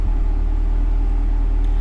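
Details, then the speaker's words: 2024 Cadillac CT5-V Blackwing, about 3,300 miles, with Corsa catback exhaust, idling with exhaust valves closed: deep, even, quiet burble with a steady beat and no misses or ticks; app shows no check engine light; normal idle. "Valves are closed. As you can see, the car is silent."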